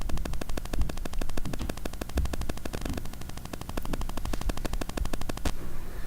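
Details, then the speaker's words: Shure SM7B mic through an ART Tube MP preamp: rapid, evenly spaced machine-gun buzz for about five seconds, then it stops. This is GSM interference from a nearby mobile phone fetching email. "There. That was the phone apparently gathering the mail that I had pushed a couple seconds before."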